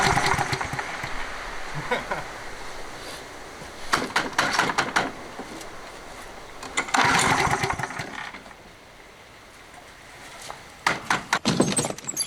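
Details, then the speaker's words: Toro 20789 mower, Briggs & Stratton Intek engine with hot-restart trouble, non-ethanol 95/98 fuel, first test: rough pull starts catch briefly then die; starts but won't keep running, carburetor cleaning suspected. "Fabuleux Intech. On sait que le moteur fonctionne, mais à mon avis ça va être nettoyage carbu."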